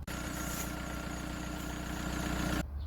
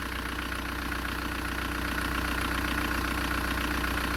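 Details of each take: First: Idling petrol car: thin, steady squeal from the alternator/air-conditioning drive belt, replaced along with tensioner and tensioner roller 37,000 km ago, then cuts off; glazed, slipping accessory belt. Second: Engine idling after the alternator/AC drive belt, replaced 37,000 km earlier and squealing, was removed and treated; even steady beat with no squeal or chirp; normal idle, no belt squeal after a few days' driving.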